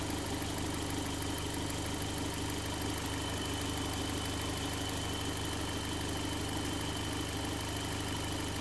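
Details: Toyota MR2 with Gen5 engine swapped in from a Caldina: steady even idle, smooth low rumble, faint constant high whine, no misses or knocks; normal idle. Owner suspects a twisted, damaged part could set the check engine light.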